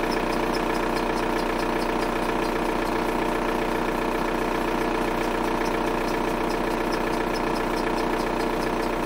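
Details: VW Golf 4 TDI diesel at idle: steady fast regular clatter about two and a half beats per second; unidentified idle noise, owner asks what it is, source unclear.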